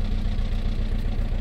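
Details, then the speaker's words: VW Golf 4 1.9 TDI 115 hp pump-injector diesel on first start, juddering with a lumpy uneven idle, poor acceleration as if in limp mode; injector problem suspected; cylinder misfire (faulty unit injector). "il broute quoi et elle accélère pas bien c'est comme si elle se met en sécurité c'est comme si un problème d'injecteur"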